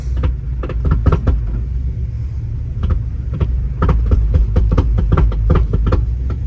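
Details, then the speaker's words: 1964 Pontiac GTO, 389 Tri-Power, 4-speed, lowered: irregular sharp knocks a couple per second over a low V8 rumble. A broken transmission mount lets the driveshaft strike a screw in the floor. "The tranny mount is broke, but it's hitting on this screw right here. The drive shaft's hitting on a screw he's got in the floor."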